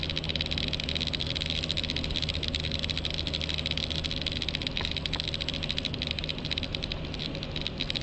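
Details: 2009 Volvo XC90 on the road: fast dry buzzing rattle over road rumble from behind the passenger side dashboard, intermittent, stops when pressing down on top of the dashboard.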